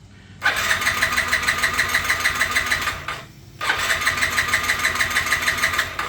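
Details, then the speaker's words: 2007 Yamaha C3 50cc scooter (XF50W), ethanol-damaged tank and storage, replaced fuel pump, fuel line likely clogged again; two bursts of quick, even starter cranking at about three turns a second, never catching; crank no start. "So what happens when I fire it up here, it just goes cranky, cranky, cranky, and never starts."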